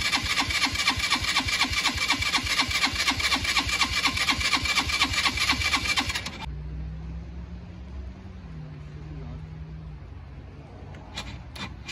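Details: Free four-wheeler (quad) with spark confirmed, solenoid jumped because the start button doesn't work; about six seconds of steady cranking, roughly two beats a second, then a faint low drone; hard starting, carburetor needs fixing, cause unconfirmed.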